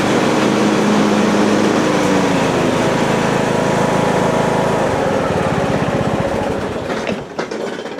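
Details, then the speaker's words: Husqvarna 42-inch riding mower deck with blades engaged: engine running hard with a strong rhythmic shudder about four beats a second; a broken pulley and a wrongly installed loose one let the blade keep spinning while the spindle stops. "So you see it's shaking and you see the spindle is stopped, but you can hear that the blade is still spinning, so it's loose."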